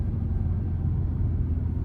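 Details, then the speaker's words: Ford F-150 pickup towing a gooseneck trailer downhill on I-93 southern New Hampshire, no exhaust brake: deep steady roar at 2,500–3,000 rpm as the engine works to slow the load, no fault noise; normal engine braking. "It's revving 2,500, 3,000 RPMs. And it's not doing that good a job, again, because there's no restriction to the flow of air into and out of the engine because there's no turbo brake, otherwise known as an exhaust brake."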